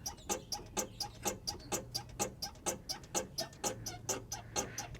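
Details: Squeak from the driver's-side front of a 1998 Chevrolet Cheyenne K2500 4WD as a helper bounces the bumper, rhythmic high-pitched squeaks about twice a second; vibration felt strongest at the top of the shock: failed front shock absorber upper mount bushing.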